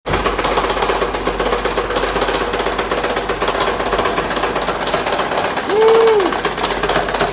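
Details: 2008 Acura TL 3.5: heavy, hard bottom-end knocking at about four per second throughout; the cause was confirmed as a broken crankshaft.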